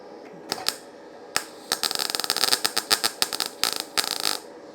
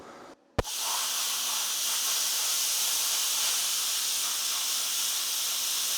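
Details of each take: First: YesWelder FIRSTESS MP200 5-in-1 in MIG mode on 20-gauge sheet with a small gap, though its settings only go down to 18 gauge: uneven, irregular crackling pops instead of a steady frying hiss; erratic arc from a low voltage setting, improving as voltage is raised. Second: YesWelder FIRSTESS MP200 5-in-1 in plasma mode at 30 amps on compressed air, cutting 1/8-inch steel straight across, partly through old weld beads: a sharp pop at arc start, then a steady, even high airy hiss; normal plasma cutting.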